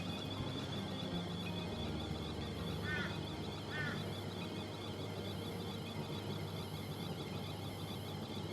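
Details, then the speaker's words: Miele T8929 WP heat pump clothes dryer found dumped, empty drum on cotton program: soft steady drum rumble with two short high chirps about a second apart; light squeak thought normal. "we've got a little bit of squeaking but that's normal i guess"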